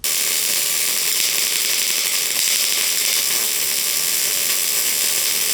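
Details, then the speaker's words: MIG arc with the wire feed speed too high: a harsh buzzing crackle with uneven pops as the wire pops. The puddle piles up without sinking in, leaving a bulged, cold-looking bead with unfused edges. "Here's too much wire speed. You can see the puddle just piling up and it just doesn't sink into that material. You can also see the wire just popping. And you can also hear it and the arc has more of like a buzzing sound."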